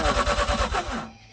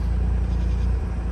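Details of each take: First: Mazda RX-8 rotary, flooded, de-flood procedure of ten-second cranks with throttle floored; steady fast cranking about three beats a second for six seconds, never catching. Belt shredded on an earlier start. Flooded rotary cranking. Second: Mazda RX-8 rotary, after a week of cranks-no-start and a de-flood procedure, cranked again and now holds a low, steady idle without stumbling or dying.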